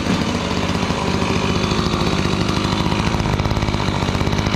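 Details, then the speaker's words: Gas-powered Razor dune buggy small engine after repair and coil gap reset: steady even popping idle with strong low exhaust beat and no knocks or misses, healthy idle though it may be running rich. "Muffler sounds pretty good. It's a lot cooler now. That's quite a bit of air moving around this thing just at idle."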